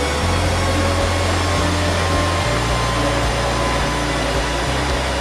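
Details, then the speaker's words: HP DL380 G6 server recorded on camera microphone before the quieting fix, fans at high speed: loud, steady whooshing roar with a low droning hum that barely varies. Loud high-speed fans. "as you can see, it is quite loud, especially considering that it is about 59 again,"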